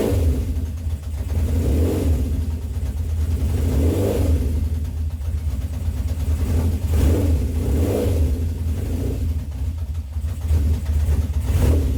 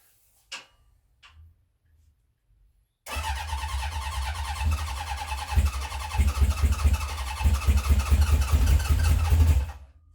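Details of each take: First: 1970 Honda CB750 K0 four-cylinder, slightly warmed up after first run in about 30 years: steady low drone with smooth rev swells every couple of seconds, no knocks or misses; sounds very healthy. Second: 1970 Honda CB750 K0 four, first start after decades sitting, remote fuel tank, choke on: long crank with uneven chuffing and occasional catches that never pick up; fails to start, seems short of fuel, oil light out.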